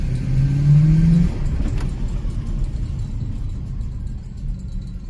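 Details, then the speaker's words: Toyota Soarer SC400 1UZ-FE V8 after a distributor cap replacement: light rev blip climbs smoothly, then settles to an even run; sounds healthy, though gutless until about 2,000-3,000 rpm before it kicks in. "Well, I have to admit, it's gutless until about 2,000-3,000 RPM, and then it sort of kicks in."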